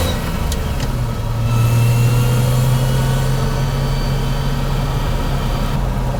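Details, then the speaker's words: Toyota Chaser JZX100 after an R154 manual swap with a DIY driveshaft extension, test drive: steady low drone with rough, uneven vibration when accelerating at low rpm, absent at higher rpm; driveline noise, cause unknown. "Okay, there's a weird noise when I accelerate. I don't know if it's normal. It's not doing that on higher RPMs, but on low RPM it does that."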